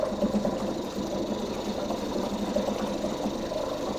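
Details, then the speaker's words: 2004 Mercury 2.5 hp two-stroke outboard, not winterized and sitting all winter for 6 months, now running; fast, even buzzing run with a steady, unchanging beat and no misses or knocks; normal running. "Been sitting all winter and she runs."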